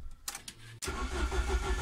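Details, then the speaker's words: Ford ST170 with GSXR 750 throttle bodies and ME221 ECU, TPS-only, tuned for hot starting, at 88 degrees: short crank then prompt fire into a firm, evenly pulsing idle. Normal hot start. "it might sound like a slow start and it's not fighting it was quick is what a a road car would"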